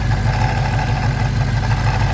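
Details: Dodge Hellcat in the shop at idle: lumpy, uneven pulse around eight beats a second; clearly abnormal, cause unknown.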